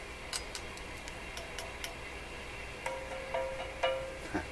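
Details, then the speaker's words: Rogers 11RA651 shortwave tube radio: tapping valves with floppy shrink tubing makes one tube ring with a clear lingering tone over faint hiss; supposed to be a 6B6 but a different tube is fitted; loose elements, microphonic. "Wow, okay, lots of reasons to question that tube. Not only can you hear the ringing, which means the elements in the tube are a little loose"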